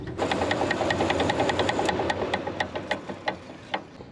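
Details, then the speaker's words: Diesel-powered Steam Jenny 200 Plus steam cleaner, water pump test: light, quick mechanical ticking about two and a half strokes a second, no load, no water pumping; debris in pump valve, cleared fix. "apparently a little bit of debris in the valve was all it took"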